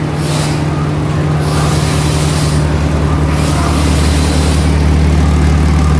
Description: Underbody inspection of land Rover LR2 reveals damaged front muffler( this vehicle has 2 mufflers, one in forward exhaust stream and one on rear exhaust stream) causing exhaust leakage with audible exhaust leak noise.